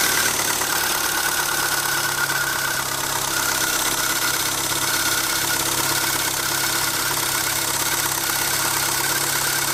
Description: My lovely Renault Twingo 1.2 with D7F engine, 1999, makes strange squeaking sound when engine is cold.